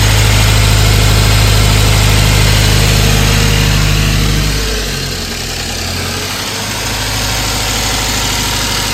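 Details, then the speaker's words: A 2016 Subaru WRX (FA20 DIT), bought a month earlier, idles steadily with a sharp, regular knock that stays on a light throttle blip. It persists after pumping out the fuel; the owner fears a spun rod bearing in the bottom end. "um still got the knock all right I'm gonna do something else and check back later"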